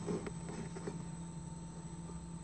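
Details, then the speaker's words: Inverter refrigerator converted to run as a conventional fridge, timer switched into the cooling cycle: a steady low hum with a faint buzz and light vibration, no knocking or stalling. The compressor is running normally. "Kalau dengan demikian ini kompresor hidup guys, kompresor hidup, kompresor hidup guys ini ya, ada bunyinya guys ya, ada bunyinya, kompresor hidup guys."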